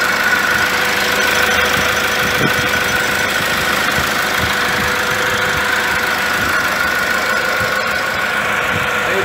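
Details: 2006 Toyota Hilux, 1KD-FTV diesel fully rebuilt after seizing: steady idle, even clatter, no misses, knocks or speed hunting; healthy. Later on a drive a turbo noise is noted; rotating assembly was not touched.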